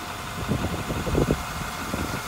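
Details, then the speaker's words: 2010 Workhorse Utilimaster W62 step van, diesel engine: low, steady idle with soft, even rumble and no knocks or rattles; motor and transmission run and drive excellently. "again you can hear that diesel engine runs it drives good motor and transmission wise it's excellent"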